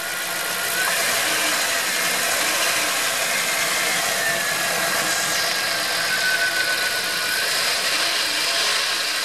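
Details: Chrysler 318 (5.2 L) V8 after oil pump replacement, with a bent starter cover plate section cut out and starter shimmed: even, smooth, steady idle with no scraping or knocking from the bellhousing; sounds much better, healthy.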